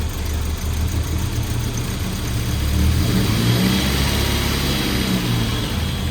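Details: Suzuki Samurai with a swapped 1.6L 16V engine after a new head and head gasket: idles smoothly, then revs up and settles back with an even, deep note and no misfire or knock; runs pretty good though timing wasn't quite right and it later died.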